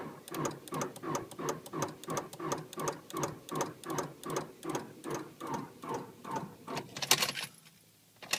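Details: 1999 Honda Civic, no start: engine cranks in a steady rhythm of about two to three strokes a second but never fires or catches; cranks but won't start, cause undiagnosed.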